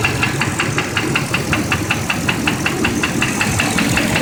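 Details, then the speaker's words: 8.1L engine, 80K miles, at idle: hard regular knock about three a second, from one corner, going away at 1500 rpm; broken piston missing a chunk from running lean due to a contaminated MAF sensor; engine replaced with rebuilt unit. "be coming from this corner over here but when I rev it up to 1500 it goes away wonder what it is"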